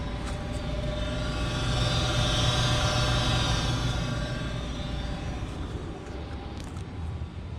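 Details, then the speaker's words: Goodman 95% AFUE gas furnace, first official startup of the 2019-2020 heating season: a low, steady burner roar swells after lighting, then settles without popping or rumbling; normal burner operation. "so this is gonna be the first official startup of the gas furnace so let's fire it up there goes and there goes the burner can kind of see it in there"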